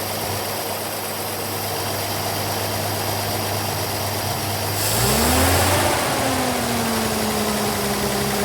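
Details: Austin K9 vintage truck petrol engine under restoration: lopey, stumbling idle, then blipped and settling back, misfiring; owner suspects oil poured over a spark plug, and all plugs are being changed.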